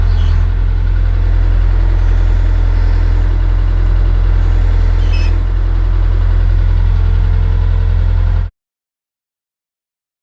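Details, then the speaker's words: Old excavator diesel, apparently a Hitachi UH043, abandoned 16 years: firm regular beat about 214 pulses a minute, steady until shutoff. "the perish bit is gone now and um reprimed it and uh it's good again and managed to get it going again."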